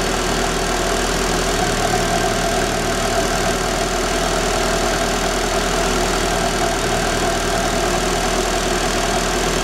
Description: Una falla posiblemente en el encendido de un Daewoo Espero 94' 2000 CC TBI automático.La falla solo ocurre en frio, tiende a detenerse.